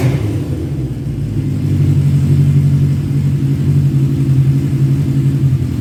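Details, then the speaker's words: 1985 Kawasaki GPz 900R Ninja revived after sitting, slightly warm, with its pipes, after rusty gas tank cleaned and refitted: deep steady exhaust burble swelling smoothly with light throttle, no knocks or misses; healthy. "It sounds freaking awesome with those pipes on it. And when I really crack into it inside this block building, it's awesome."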